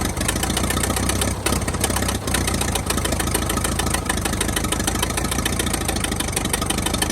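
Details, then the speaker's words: 1922 International truck engine, first run after sitting 30+ years, not yet warm: steady idle under heavy mechanical clatter, no misses or stumbles; runs pretty good, though spitting oil from the oil pan. "well I got to say she runs pretty good uh see how warm she is she's not too warm just yet"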